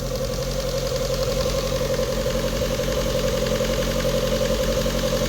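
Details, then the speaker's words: Rover 25 GTI 1.8 VVC, warm idle, smelling fuely and running rich: uneven lumpy beat near four per second with constant whistle; rough idle, owner suspects a vacuum leak, not found. "It's got to be leaking air in from somewhere. Not too sure. And it's running a bit lumpy."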